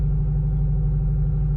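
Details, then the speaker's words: 1977 MCI MC8 bus with newly transplanted Detroit Diesel 8V71TA, first run in 1.5 years, air pressure 85 and building: deep, even two-stroke idle, no knocks or misses, sounds like no muffler. Normal idle. "Yeah, I wouldn't know this thing doesn't have a muffler on it the way it sounds, you know? Sounds good. Sounds great."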